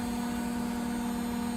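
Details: Beko WTG620M2W slimline washing machine, drum spinning fast after new plug fitted: steady mid-pitch hum over soft rush, no thumping or grinding; machine apparently fine. Normal spin cycle.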